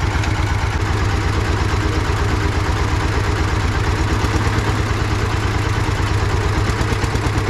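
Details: Russian DT-14 tractor single-cylinder diesel idling after a cold start following about 10 years parked, with a deep, even thump about three beats a second; normal idle.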